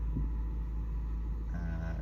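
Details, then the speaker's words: Integra with random hard starting, new ignition coil, re-gapped plugs, OEM plug wires refitted, idle air control valve checked: deep idle rumble pulsing unevenly; still rough, owner suspects misfire or spark, smelling unburnt fuel. "So it's still rough. It's kind of like it's not firing right, like, you know, spark or something. Because I smell gas, unburnt fuel when it happens."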